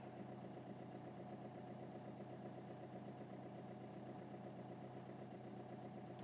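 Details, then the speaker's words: Vauxhall Corsa D 1.3 CDTi with intermittent non-start (P0685), codes cleared, started first try after sitting: steady, even diesel clatter at idle with no misses or knocks; normal diesel idle. "so it starts first kick wait a bit stuck today but still going so that's good"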